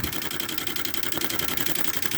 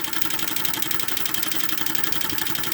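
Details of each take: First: 1996 Camaro fuel pump running with Flow Nitrous fuel pressure safety switch, nitrous on: fast, even pulsing hiss over steady pump drone, flow chattering; fuel throttling from regulator adjustment, later set smooth at 40. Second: 1996 Camaro fuel pump with Flow Nitrous fuel pressure safety switch after regulator adjustment: steady high buzzing hum with fast even pulsing, no surging or throttling, then shutting off; running smooth at 40.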